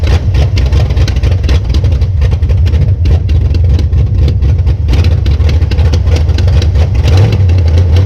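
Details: 1966 Plymouth Belvedere V8 after swapping a flooding Quadrajet for a rebuilt used Edelbrock carburetor: deep, steady burble with even beat, no misses or stumbles; normal idle.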